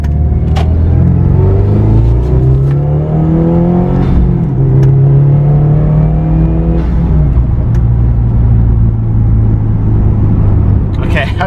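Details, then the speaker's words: Subaru WRX that lost power after a Tomei manifold and aftermarket coil packs, after going back to stock coil packs, regapped plugs, and a new fuel filter, pump and MAF: on a road drive it pulls cleanly and revs smoothly without stumble or misfire. "Oh my God, I'm loving it. I'm loving it. Subaru is back. Happy. God damn, it sounds good."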